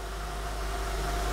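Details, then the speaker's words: 2003 Honda Pilot 3.5L V6 bought needing a transmission, idling: smooth, quiet, even idle with a steady low hum and no knocks, ticks or misses; runs great, seemingly regularly serviced. "runs great though i mean listen to that sounds smooth and quiet i think for a time this got regular service"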